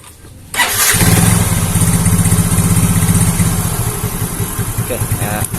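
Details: Yamaha Mio J fuel-injected scooter stalling suddenly, charging voltage about 13–14 V: catches after brief crank, then uneven wavering beat that sags; fuel pressure dropping, fuel pump IC failing, hard start and rough running.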